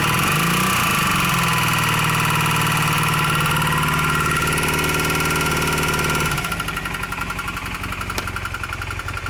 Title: Honda CM400 Engine Knock :o(